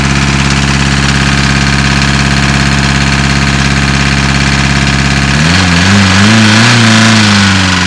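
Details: VW Caddy diesel with hard cold starting: idles unevenly with lumpy lopsided beat, stumbles and hunts when revved; one cylinder not working, owner suspects a valve problem, unconfirmed.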